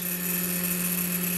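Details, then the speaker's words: Chinese laser cutter with RDWorks controller, stepper-driven head moving at constant 40 mm/s: a steady, buzzy low drone with gantry vibration from stepper resonance; microstepping holding the motor back is suspected. "vibration going on and yes we're generating some resonance there that's at 40 so maybe that noise is actually the the microstepping holding the motor back"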